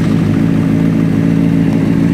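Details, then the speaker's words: 2004 Honda CBR600RR with no fuel prime, running after a 9-volt battery test pointed to the ignition switch Zener diode: steady, even engine note with a strong low hum and no knocks or misses; running cleanly. "And everything's running, and that's, you know what? I'm pretty happy with that."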